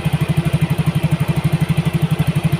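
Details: Yamaha Mio GT injected scooter after injector replacement and CO trim cut from 15% to 7%; mixture balance right, O2 sensor 0.49 V, idle control 19.0%, 1300 rpm. Even single-cylinder exhaust thumps, no misses or wavering; normal idle.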